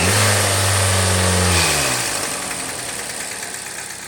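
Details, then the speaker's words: 2018 Kia Forte 2.0 L four-cylinder with check engine light, exhaust camshaft over-advanced timing codes and misfires: revs then drops to uneven rough idle with light rattle; cause still unknown. "the customer's concern is that it's running rough making some sort of kind of rattle noise and obviously check engine light"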